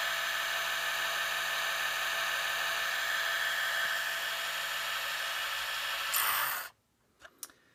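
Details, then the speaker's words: Gakken Premium Gramophone kit, spring motor fully wound, bare mechanism only, after greasing with Thomas Edison phonograph grease recipe: smooth steady whirring with fine even tick, no rattle or grinding, then runs down to quiet; gears well lubricated. "not only does the Thomas Edison lubricant that we used here, not only does it lubricate, but it also quietens all of these different parts in here and makes them run nice and smooth."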